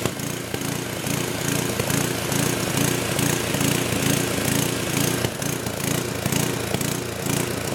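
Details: Old 10hp gasoline generator converted to propane/LPG using only the regulator of a cheap eBay aftermarket carb kit, choke open; rhythmic gallop about twice a second with occasional backfire pops; owner suspects it isn't drawing enough fuel, unconfirmed.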